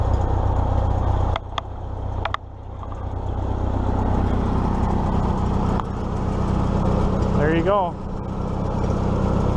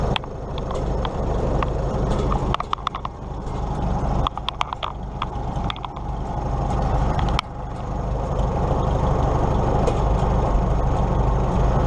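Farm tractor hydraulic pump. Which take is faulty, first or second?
second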